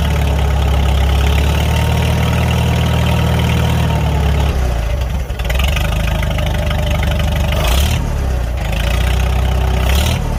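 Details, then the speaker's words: Farmall 300 Row Crop tractor after replacing the rust-holed exhaust manifold, muffler refitted: low, even idle thump, then two clean revs and back down; no exhaust leak puffing or ticking, runs sound. "Sounds pretty good. Yeah, I think I like that sound much better. I think it fits this tractor better. Let's go ahead and give it some throttle."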